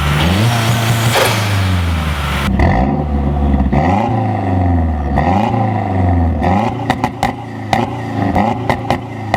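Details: 2012 Mazdaspeed3 just after installing a silicone turbo inlet hose: strong start then clean blips rising and falling smoothly with a deeper, lower intake note, audibly drawing more air; engine sounds healthy.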